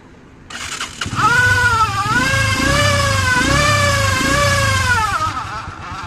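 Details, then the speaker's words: Motorcycle with about 100,000 km (odometer 91,270 km), nearly 10 years old, engine never repaired: wailing whine rising and falling with revs; owner suspects failed gear in the tachometer head, engine seems fine. "初步判断呢，应该是这里面的这个表头里面这个齿轮坏掉了的这个声音。"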